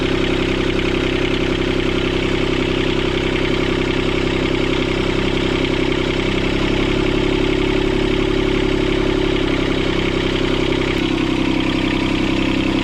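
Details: Sailboat port diesel after repairing four engine mounts snapped by a submerged log. Fast, steady clatter that stays elevated; the idle is too high because the throttle cable bracket bent when the engine jumped forward 3-4 cm.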